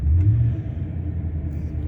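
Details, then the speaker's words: 2003 Ford Expedition 5.4 V8 just started after the idle air control valve was replaced; it previously idled high at about 2000 rpm and was hard to start. The idle is now a low, smooth rumble at about 800 rpm with no surging. Normal idle. "okay we gotta start it the idle is back down to about where it should be sounds about 800 rpms so that's good"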